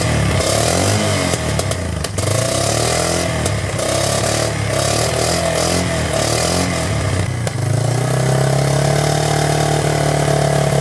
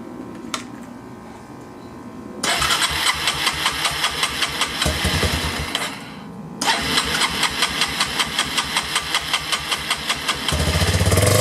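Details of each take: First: 1999 Yamaha Bear Tracker ATV single-cylinder, running after new in-spec pickup coil restored spark and petcock/carburetor leak fixes, hot day: speed wanders unevenly before settling faster; unsteady idle, owner thinks carburetor and idle speed need adjusting. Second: 1999 Yamaha Bear Tracker after new pickup coil restored spark, petcock replaced and carburetor leak fixed; two long stretches of even cranking about 2.5 beats a second, then it catches and note rises, carb and idle still need adjusting; engine starts and runs.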